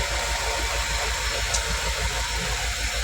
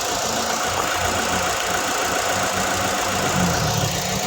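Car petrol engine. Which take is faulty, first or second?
second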